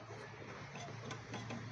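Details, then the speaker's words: Hyundai Creta rear suspension: sharp irregular ticks over a low steady hum from the rear torsion beam axle, cracked at the side corner and shifting on the axle; noise missed by several shops despite full suspension replacement. "Barra de tor eixo, ela quebra no canto lateral, desloca do eixo e faz esse barulho."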